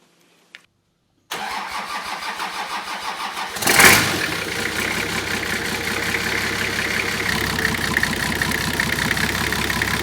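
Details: Nissan Patrol with TD42 diesel conversion, GTX28/63 turbo, 11mm injector pump and water-to-air intercooler, first start after bleeding injectors: even cranking about two seconds, then catches and settles into steady diesel clatter; clean start.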